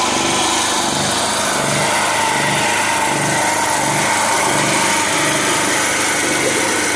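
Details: After a local young man in Sifoe, Gambia repaired it, the pull-started small generator runs on with a steady buzzing drone and an even, gently pulsing beat, sounding clean: normal running.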